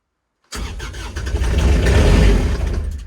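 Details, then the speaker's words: Kubota RTV900 diesel cold start at -8°F with leftover summer fuel gelling, glow plug on: long labouring crank that speeds up slightly but never fires; owner suspects earlier cranking forced gelled fuel into the lines. "so still doesn't sound good i think i probably shouldn't have cranked it over as much while it was starting to gel because i think i actually probably forced some of the gelled stuff into the lines which is not good on my part"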